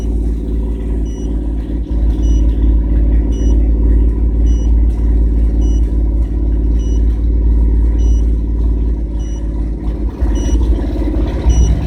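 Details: 1997 GMC Jimmy held at 2000 rpm while viewing live data: uneven, stumbling beat breaking up the drone, a misfire; cause not evident.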